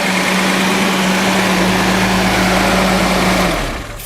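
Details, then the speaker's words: 1976 Datsun 280z 2+2 revived from a junkyard, with new exhaust and 296 miles driven since, started up and running: smooth, even hum that "purrs" with no knocks or ticks, then winds down; healthy engine. "Fires up and it purrs. It's just a great running little car."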